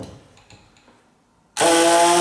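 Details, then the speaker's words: Small electric air pump, tried out and pumping air: after a quiet start, a steady bright buzzing drone; running normally. "but this is definitely a little air pump I've tried it out you can hear it pumping"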